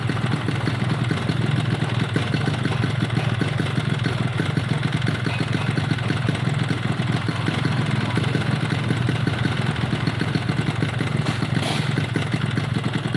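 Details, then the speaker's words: Yamaha RX two-stroke motorcycle, rough and down on power: uneven, stumbling idle with loose clatter underneath. Compression is not sealing well and the reed membranes are too heavy. "Oke, dari suara mesinnya teman-teman bisa dengar, dan ini motor tenaganya kurang maksimal."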